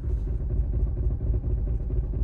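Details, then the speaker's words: Diesel idle with a deep, lumpy rumble and uneven low thumps after removing the engine dogbone mount insert; excessive vibration, something seemingly hitting the firewall, RPM steady, smooths out with throttle; cause unconfirmed. "but something is just like hitting the firewall I don't know it's got to be either vibrational firewall or something"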